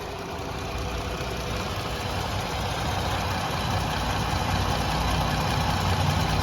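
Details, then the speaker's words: 2020 Jeep Gladiator Overland, engine bay clean with no rust or soot, hood open at idle: smooth, even low rumble with no knocking or ticking; engine sounds healthy, normal idle. "And it sounds good too. That's always maybe the most important thing. We don't hear any knocking, ticking, anything like that."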